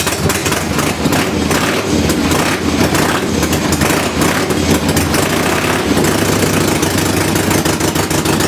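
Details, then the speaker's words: 1976 Harley-Davidson Ironhead Sportster with new points, condenser and timing advance: ragged, uneven firing that stumbles and barely stays running. Hard starting and rough running because static ignition timing was set wrong. "[Music] well I did something wrong so back to the drawing board"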